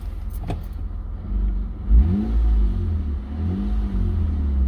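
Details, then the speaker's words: 2003 Mitsubishi Eclipse GTS in neutral right after replacing the mass airflow sensor for code P0102 (previously lunged and nearly stalled, revs rising and falling): engine picks up cleanly on blips and settles without hunting or surging; running smoothly. "it definitely feels a lot better so far. Before, the RPMs, they would go up and come back down."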